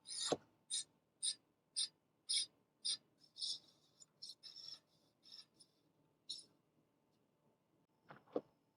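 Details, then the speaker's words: Aipas M1/M2 Xterrain ST e-bike front disc brake during assembly: rhythmic scraping swish each wheel turn, about two per second, fading as the caliper's bottom mount is loosened and shifted left/right until the rotor stops rubbing the caliper. "then we're going to adjust the bottom part to help eliminate the rest of the rubbing"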